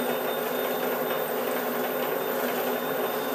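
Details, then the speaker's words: Milling cutter at 600 rpm, making the first light 2 mm touch cut on a clutch hub. A steady high metallic ring sits over the cutting hiss: the cutter chattering against the work. "you hear that ringing already that's two millimeters"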